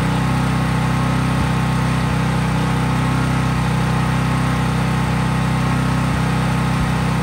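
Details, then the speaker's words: Craftsman 5000-watt generator, cold start, running at full governed speed with only an LED bulb plugged in, so no load; smooth, constant hum with no hunting or surging; normal no-load running. "Since I was just plugging in an LED bulb, there was no load on the generator"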